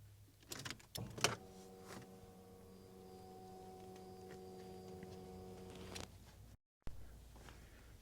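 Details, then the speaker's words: Chevrolet Camaro with rebuilt 6.0 LS engine, ignition cycled after uploading tune, fuel pump power relocated: steady low hum for about four seconds after key click, then cuts off; normal fuel pump prime before first start. "Please cycle the ignition. Oh, also you could see we have fuel pump."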